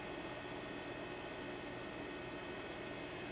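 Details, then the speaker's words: Trane/American Standard heat pump outdoor unit after fitting a new defrost board, forced defrost by shorting the board: unit shuts down and reversing valve changes over, steady loud refrigerant rush/hiss, no knocking; normal reversing valve changeover during defrost. "all right first our unit shuts down the reversing valve changes"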